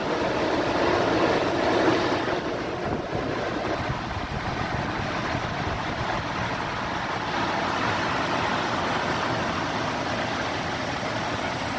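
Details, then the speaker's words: 2004 Toyota Tundra 2UZ-FE 4.7 V8, first start after a timing belt kit, water pump, fan clutch, accessory belt, tensioner and idler replacement: steady smooth run, earlier squeal from belt or fan clutch gone; normal running. "that sounds good yes squealing before could have been a belt could have been fan lunch everything sounds smooth right now"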